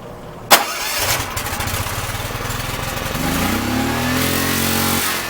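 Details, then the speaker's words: Makita G4101R generator with a Robin/Subaru EH25-2 engine, started with temporary battery clamps. The engine catches and races straight to wide-open throttle, holding there because the governor isn't closing the throttle. "the problem was it wasn't closing it when it started up it just went to wide open throttle and that was it"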